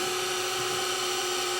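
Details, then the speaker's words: Sony DSR-11 DVCAM deck, front cover off, in rewind: loud steady shrill high-pitched whine, unchanged throughout; owner thinks it's the capstan motor bearing, left unfixed. "rewind ah it's it's yellow for rewind oh that's [Music] loud probably not quite as loud with the cover on"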